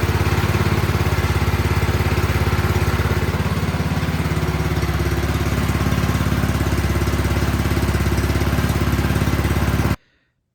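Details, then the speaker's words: Troy-Bilt 28-inch snow blower single-cylinder holds a steady, even putter for about ten seconds, then cuts off cleanly; runs normally after cleaning its clogged carburetor. "All right, all it was just that carburetor was clogged up a little bit. Just needed a good cleaning."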